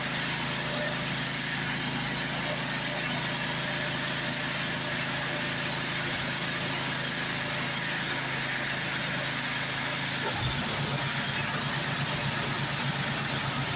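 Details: Craftsman 826 track drive snowblower after auger belt replacement (31-inch belt), refuelled, blowing snow; steady even engine roar with auger churning, no knocks, slips or squeals under load; normal running.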